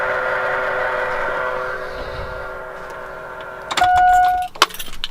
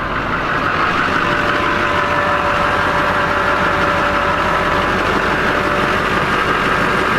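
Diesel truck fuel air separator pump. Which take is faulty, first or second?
first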